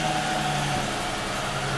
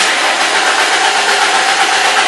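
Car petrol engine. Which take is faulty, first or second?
second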